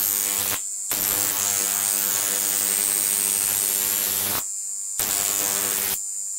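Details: Large flyback transformer on a ZVS/MOSFET driver fed 30 V from a toroid transformer: harsh crackling arc buzz over a high whine in short bursts; strong arcs, running fine, with slight transformer interference hum.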